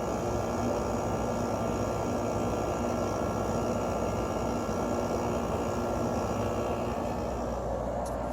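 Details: Emerson Quiet Kool 6,300 BTU window air conditioner: compressor failed to start at first, ran on fan and warmed with a heater, then started; steady even hum, smooth fan whoosh, no rattles or clicks; normal running.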